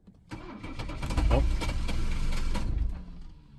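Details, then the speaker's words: 1982 Mercedes 300SD turbo diesel after cycling glow plugs twice: starter cranks at a steady beat, engine surges and nearly catches, then dies; no-start. "now it almost started there i'll give it a few minutes and then uh i'll try it again"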